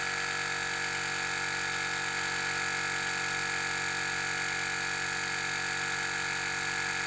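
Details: 2017 BMW 5 Series F11 with both rear air springs already replaced, compressor commanded by scan tool. A steady, even buzzing drone that never changes pitch; the car does not rise and no leak is heard.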